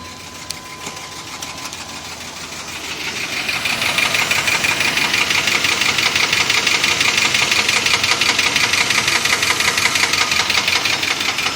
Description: 95 Chevy 350 Engine Knock. Possible bearing damage?